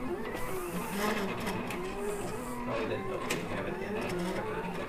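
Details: Silhouette Cameo vinyl cutter cutting HTV heat-transfer vinyl for a T-shirt: buzzy, warbling motor whine rising and falling as the head moves back and forth. Sounds horrible but is normal for this cutter.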